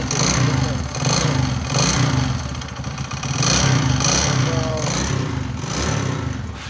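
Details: Bajaj V15 motorcycle engine revved in repeated surges, uneven clattery edge under the exhaust note; engine sound problem, cause not clear.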